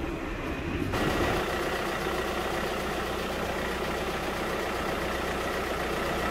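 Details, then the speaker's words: VW Crafter diesel van after cambelt replacement and cooling system refit, engine hot after running with fans on: steady even idle, smooth low rumble, no coolant gurgling, system thought to be bled. "We're getting no gurgling noises when we turn it on. I think that's it bled"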